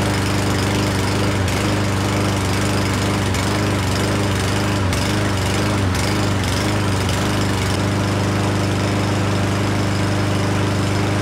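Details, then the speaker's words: Certified self-propelled push mower that sat over a year, running after a spray into the carb throat: single cylinder running unevenly with surging beats and dips; rough running from a clogged carburetor main jet. "all right guys so uh the engine wasn't running as smoothly as I'd like to"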